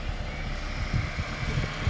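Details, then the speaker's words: Mitsubishi E-Car, hot engine after injectors and oxygen sensor replaced, valves adjusted, converted to full vacuum system: idling with AC on, low even hum with steady idle, no misses or stumbles, some wind over the mic; normal idle. "เดินเบาเปิดแอร์ตั้งวาล์วให้นะครับตั้งวาล์วให้รอบเครื่องยนต์ก็จะได้อยู่ประมาณนี้เลยนะครับ"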